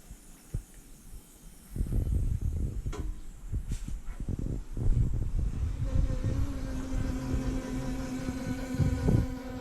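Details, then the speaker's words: BMW K100 café racer build: ignition switched on and a quiet steady fuel pump hum starts and holds after handling clatter, normal priming before the first start attempt. "So let's turn the ignition on. Fuel pump is going."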